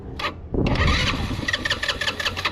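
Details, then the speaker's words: GY6 scooter that sat about a year, given a shot of brake cleaner into the intake: it catches and sputters unevenly for a couple of seconds, then dies; fires briefly then dies, clogged carburetor suspected. "and let's do that one more time it it fired up a little bit two guys right here so you can hear it oh don't want to go yep so that confirms it uh our carb is clogged up"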